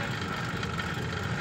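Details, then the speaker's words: Washing machine spin (dryer side) motor run with the drum removed: smooth, quiet, even hum with no knocks or scraping, and current draw is correct; the motor is fine and the drum causes the noise. "देखो motor बिल्कुल एकदम सही चल रही है silent हो के चल रही है कोई आवाज़ नहीं है मोटर के अंदर"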